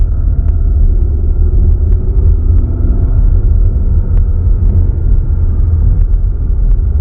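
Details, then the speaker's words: Kia Sorento SX Prestige X-Line 2.5T AWD, about one month into ownership, driving: deep steady hum, an annoying non-standard whir from the center of the car under road noise; cause unknown, dealer comparison with another Sorento followed. "Number one, we have this whirring sound that is coming out of the center of the car itself right here. It's almost like the sound of the engine is being pumped in, although there's none of that system in this car, but not in a good way."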